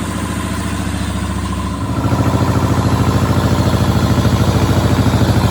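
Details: Power Pony with a two-cylinder Perkins diesel, restarted after glow plugs and bleeding the fuel system (petcock suspected left off, ran dry): steady, even chug firming up after a couple of seconds into a clean regular idle; normal idle.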